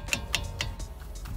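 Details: VW Vento brake caliper knocked by hand while parked: three sharp metallic clacks about a quarter second apart from play in worn caliper bolts and guides; owner links it to the suspension noise heard over bumps.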